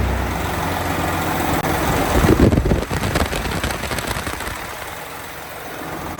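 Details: 12.7 L Detroit Series 60 diesel with PDI performance parts, first start after rebuild: steady, even idle with a brief throttle blip. It ran away on first start; the electronic fault was possibly moisture arcing harness pin connectors, now cleaned. Normal idle, great throttle response.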